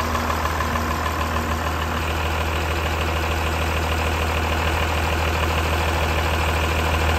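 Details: Diesel with a Bosch P-pump after cracking an injection line to bleed a suspected air pocket in the fuel system: steady diesel clatter at idle with an even rhythm and no stumbling; now fueling properly.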